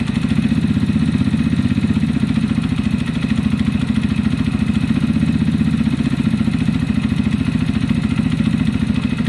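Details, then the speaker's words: Zontes EFI motorcycle that kept cutting out, after fixes: steady even single-cylinder idle with a faint quick valve tick, no misses; running much better. "[Music] so [Laughter] that seems much better"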